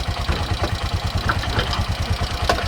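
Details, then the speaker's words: Bajaj CNG auto rickshaw after fitting another CNG kit, following bukbuk misfiring caused by a missing air nut: low, regular thumping about seven beats a second, even without stumbles or jerks. Idles smoothly, with good pickup after a test drive. "तर एकदम perfect आता round मारून आलो आम्ही, एकदम perfect गाडी चालते आहे, एकदम परफेक्ट गाडीचा पिकअप आहे."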